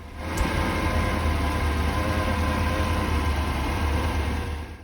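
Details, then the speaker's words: 1983 Porsche 928S with original Bosch ignition, after fuel system work and ignition timing readjusted at the distributor: low idle that lopes and stumbles with uneven pulses. The engine runs rough and the cause is still undetermined. "The engine is running rough, but I'm going to have to do some more poking around and seeing what else I could improve."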